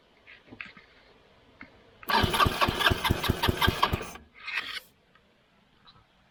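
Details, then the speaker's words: Scooter-engine reverse trike after a crash and years sitting outside, cranked by jumping the starter solenoid: about two seconds of even chugs, roughly two and a half a second, never fires; no spark, owner suspects the loose ignition switch. "I didn't see no spark there so probably something with this wiring"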